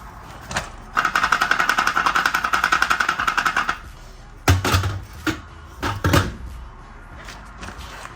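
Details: Supercharged SN95 Mustang with a Coyote swap: shaking the new BBK cat X/H-pipe, under 100 miles old, brings bursts of rapid tinny rattling from something loose inside the cat section; this was the grinding/rattle first blamed on the transmission or flexplate.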